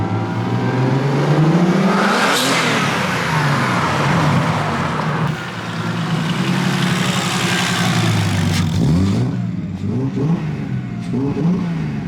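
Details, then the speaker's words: First test drive of a 27-year-old turbo petrol car with a freshly built engine; pulls cleanly through rising revs with smooth gear changes, no knocks or rattles — normal, healthy acceleration. "Damn, that sounds so good. These things turbo just sound so good."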